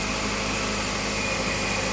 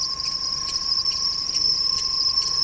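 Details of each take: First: Ford at idle after curing an accessory belt whistle by cleaning a corroded ground wire and making a good ground: steady engine hiss and hum with no chirp or whistle. The belt drive sounds normal. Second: Ford on spring idle: steady high accessory-belt whistle with a faint rhythmic chop, loudest from below; idler pulley bearing appears to be sticking; belt and bearings to be replaced.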